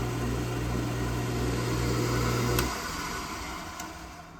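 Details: Old Craftsman 1 hp 10-inch table saw after a capacitor replacement, running without a blade: steady low electric hum, smooth even spin, no labouring, then a clean coast-down after switch-off. Normal motor run.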